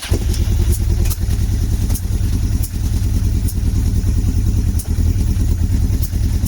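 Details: Motorcycle first start after long storage, on choke with air filter removed: loud, uneven, lumpy exhaust beat with irregular stumbles, struggling as one cylinder fails to fire cleanly while the other tries to come in; rough running.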